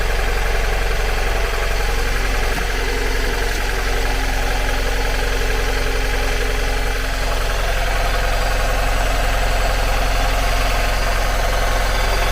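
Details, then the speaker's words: 2002 Mazda MX-5 Miata NB 1.8 idling with front coil reconnected, no change: lumpy loping idle about four pulses a second, running on two cylinders; front coil found at 100° versus 20°, energized constantly. "plug that coil back in and as you can hear doesn't make any difference whatsoever"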